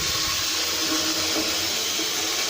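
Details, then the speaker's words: Sink test on a newly installed upstairs macerator toilet system: the sink water drains into the toilet unit, which then pumps it through with a steady rush, no gurgling, choking or strain; the drain is flowing normally. "it goes into the toilet and then it comes on and pumps it through"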